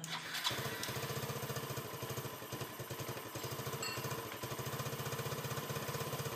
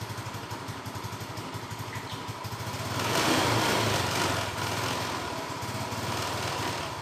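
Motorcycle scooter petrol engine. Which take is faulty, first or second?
second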